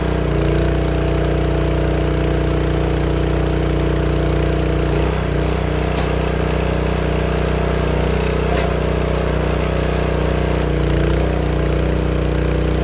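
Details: Honda GX160 log splitter engine after replacing the failing spark plug that caused popping when warm: even, steady single-cylinder putter with no pops or misses, running smoothly and cleanly.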